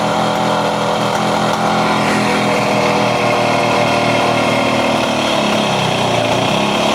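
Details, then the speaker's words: Classic Kawasaki KH250 two-stroke, with a new gel battery, finally running: a crisp, ringing fast idle that keeps needing throttle and will not settle. It won't hold idle, and the fuel tap is shut off. "Bugger, doesn't quite idle. Let's turn that petrol tap off quick."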